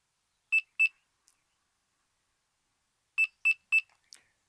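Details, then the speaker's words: Delkim Txi-D v2 bite alarm: holding buttons while switching on gives two sharp high beeps, a pause, then three quick beeps confirming entry to menu 3 (stealth and anti-theft settings). "So you hold the buttons down, turn the alarm on and wait for 3 beeps."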